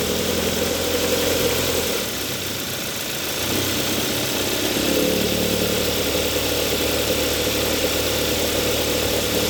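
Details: 2014 Hyundai Sonata 2.4L GDI idling with AC on: light, uneven metallic rattle over the hum; rattle stops with AC off, present whenever AC engages (belt tensioner replaced without effect); AC compressor is the culprit, still cools fine.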